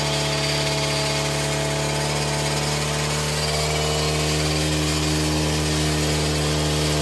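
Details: Four-stroke Green Farm brush cutter whose owner complained of heavy vibration when accelerating; the blade was checked unbroken. Started with 3–4 primer-bulb presses and a recoil pull, it holds an even high-speed drone with steady pitch, no wobble or rattle, and runs smooth and balanced.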